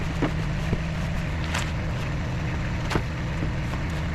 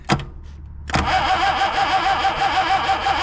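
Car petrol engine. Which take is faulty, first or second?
second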